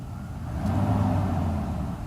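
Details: Mercedes S600 W140 V12, first start after a throttle body overhaul, no EML or ABS lights; a quick throttle blip climbs smoothly and settles with no misfire or hesitation; fuel pressure regulator suspected for poor starts; normal revving.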